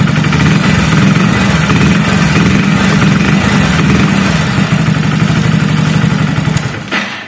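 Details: Hero HF Deluxe BS6 with a stalling and starting problem, run after fully recharging a discharged battery and checking the fuel pump. Steady, even single-cylinder putter at idle with no knocks or misfires, then switched off; it idles normally.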